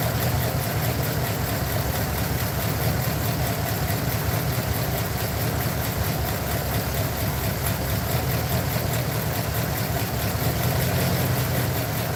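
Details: Truck engine at idle, running steady but rough with an uneven, chuffing beat; a cylinder misfiring, checked with an inductive timing light, and one plug wire showing a laggy response is the suspected culprit.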